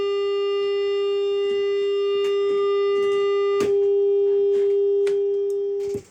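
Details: Bad Cat Black Cat 15R tube guitar amp with roasted tubes: loud steady tone around 400 Hz with ringing overtones, unchanged until power-off; failing tubes.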